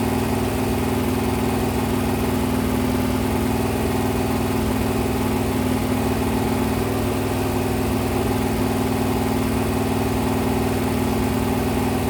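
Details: Freshly rebuilt 426 Hemi crate V8 (new heads, intake, pistons) on a run stand during flat-tappet cam break-in at 2400–2500 rpm, 32 degrees timing, 150°: steady, even high-idle drone, smooth rhythm, no valvetrain ticking or knocking; healthy.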